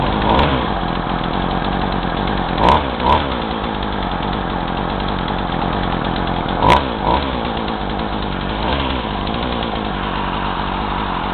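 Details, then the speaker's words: Craftsman two-stroke chainsaw, hot, after new fuel lines, on roughly 40:1 mix, carb screws about 1.5 turns out after cleaning: raspy uneven running, speed sags and stumbles when throttle is squeezed though it revs up, smoke seen; bogging. "uh but whatever but uh it starts and runs but it bogs a lot so like uh whenever i squeeze the throttle just box and but it does rev up"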